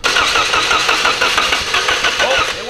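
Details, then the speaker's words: Project car: steady, even cranking with no catch or firing; no start, base timing was set to the wrong cylinder, firing order suspected wrong; coils untested. "um we might have the fing order on might had the fir water wrong ew that means we have to reset base timing"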